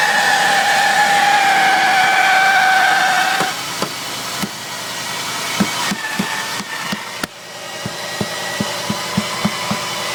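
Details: Jeep WJ Overland: high thin squeal holds steady over the idle for a few seconds, then fades into scattered ticks; screeching noise at idle, source unknown.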